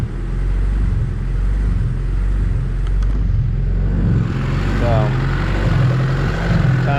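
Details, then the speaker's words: High-compression Honda D16Z6 build after valve lash, while setting timing to 16 degrees: the idle rises and sags about once a second without settling. Owner suspects the fueling and had previously run it lean on purpose because lean smoothed this. "see if i can get this rpm to simmer down a little bit that's annoying i think i might have actually made it run lean last time on purpose now that i'm thinking about it because it was doing this"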